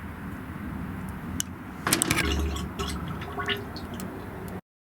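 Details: 1975 Autocar truck with the engine off: irregular gurgling and bubbling with soft splashes as air works through the cooling system. Not the shutter stat (plugged); fuel in the oil is also confirmed by UV dye. Cause suspected, not confirmed.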